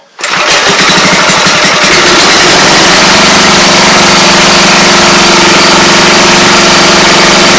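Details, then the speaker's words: Briggs & Stratton small engine after clutch removal and service: starts cleanly and settles into a steady, even buzz with no clutch screech; normal running. "so that's what's left for me sounds like a home stretch so at that point you're ready to go for at least another year"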